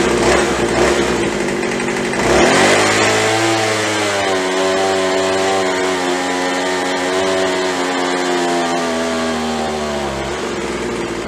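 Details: Craftsman (MTD) B2000 25cc two-stroke blower after carb clean, carb kit and trigger modification ("won't stay running" fixed), about 7400 rpm wide open and 2700 at idle; a high rev drops cleanly within seconds to a steady idle, no hunting or stalling; normal.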